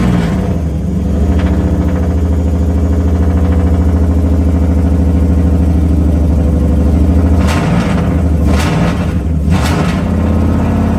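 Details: Nissan 200SX S13 with 1UZ VVTi V8, first startup after months of build work: deep, steady rumble on hand-held throttle with quick blips near the end, smooth on all cylinders, healthy.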